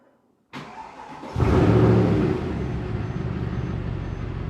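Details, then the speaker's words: Mercedes C63 AMG after repair, including a replaced faulty exhaust camshaft actuator: crank, strong catch and brief flare, then a smooth, even V8 idle with no knocks or rattles, running properly. "so like i had said i wanted to start it up so you guys could hear what a amg sounds like running properly so i'm going to go ahead and hop in and start it up"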